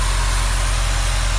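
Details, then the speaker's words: 2016 Subaru WRX, 36,000 miles, started at idle: steady low rumble with even pulse and no knocks, ticks or whine; quiet, healthy engine. "Car is started and you can hear it. No weird noises, no weird sounds. It's very, very quiet."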